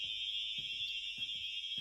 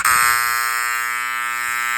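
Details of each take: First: Fire alarm sounder from a collection under test, mounted upward: steady high-pitched tone around three kilohertz with no pulsing, fairly quiet over soft room thumps; output seems weak, cause unknown. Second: this one's actually one of the loudest ones I have in my collection you can hear this one really far away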